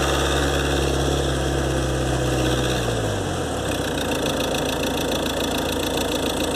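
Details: 2013 Ford Transit 2.2 (7G) diesel, warm, phone under the bonnet while driving, after turbo repair (compressor wheel, shaft bushings, seals, actuator motor and gears replaced): a steady high whistle persists as engine note drops. Repair failed; owner suspects imbalance.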